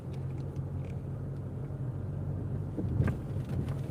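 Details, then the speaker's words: Car driving at steady speed after a wheel bearing repair; even low road rumble with no hum or growl rising with speed, only occasional suspension clunks and bumps; the repaired wheel bearing is now quiet. "can you hear that there that you cannot hear the wheel bearing anymore? That's cuz it's fixed"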